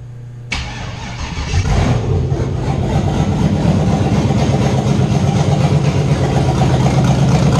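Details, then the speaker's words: Fox Body Mustang LS-swapped V8 first start on self-wired Microsquirt ECU with waste spark, open exhaust: brief cranking, fires in two cranks, loud lumpy idle, pouring black smoke; running extremely rich. "yeah this thing's awesome sounds like a drag boat honestly and it pours black smoke out of the place so it's extremely rich right now"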